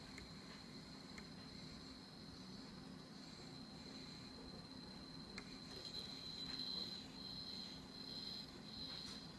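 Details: Z-15 gimbal with a GH3 camera, fine for 20 flights, now makes a thin, steady high-pitched buzz from the motors after initialisation on every startup. Cause not identified.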